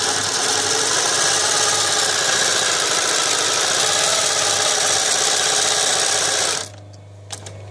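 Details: Podolsk class 332 post-bed shoe sewing machine with active upper and lower roller feed and needle feed: fast, even mechanical chatter at about three stitches a second with steady rhythm, then clean stop; runs smoothly.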